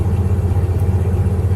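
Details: 1995 Jeep Grand Cherokee 5.2 V8 idling on a morning below 30 degrees, after throttle body cleaning, Seafoam and idle air control valve work for hard cold starts and 1200 rpm high idle. Deep, even burble with no hunting; power steering pump noise noted.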